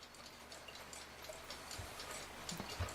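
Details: Rusty Forestville alarm clock, fully reassembled after re-oiling the movement: a quiet, steady tick-tock at about three beats a second with no stalls or skips. The movement runs evenly.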